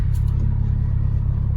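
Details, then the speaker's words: Acura/Honda with the engine running after a power steering fluid flush, wheel being turned: a steady low engine rumble with no whine or squeal; the power steering pump sounds healthy, with at most a very subtle whine when turning left. "hopefully the whining is gonna stop as you can hear there is no more whining or very subtle especially when I'm turning the wheel left when I'm turning it right goes pretty smooth"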